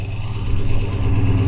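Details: V8 on a brief rev: dull, fast knock riding under the exhaust note, suspected rod knock but not confirmed.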